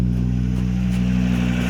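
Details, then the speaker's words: Volvo XC70 just restarted after a timing belt job and wiring harness rewire, with the upper motor mount out: it holds a steady low drone for now. Previously it ran badly once it came down off idle; the cause is unclear. Unstable idle. "it's got to come down off the idle this is last time when it really started running like a piece of dog crap"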